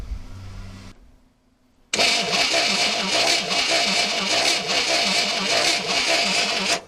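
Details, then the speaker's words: 1964 Chevrolet Impala 4-door hardtop, sitting unregistered since about 1982 and not run in 40+ years: steady starter cranking at about two and a half turns a second, never catches; spark checked at coil lead to valve cover shows no spark. "It appears we don't have spark."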